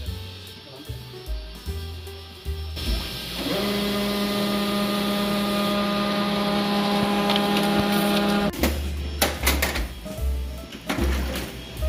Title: LEXMARK x658de | unusual loud grinding sound